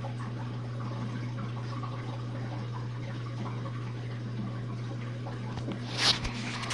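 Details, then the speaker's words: Jenn-Air dishwasher on Quick Wash with a newly fitted gasket, drain phase after the main wash: steady low pump hum with water gurgling and sloshing through; draining normally. "Goes the draining. And as you can hear, you can definitely hear the water draining out."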